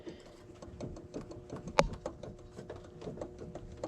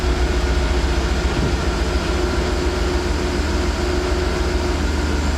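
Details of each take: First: 2012 Chevy Tahoe LS 4WD, intermittent noise at startup and idle: light, quick rhythmic ticking and rattle about five a second from an idler pulley with play; worn idler pulley bearing, idler and tensioner to be replaced. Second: 2012 Chevy Tahoe LS 4WD after replacing the idler and tensioner pulleys, which had play and made noise at startup and idle: steady low rumble, even idle, no chirp, squeal or belt drive rattle until shutoff; normal idle.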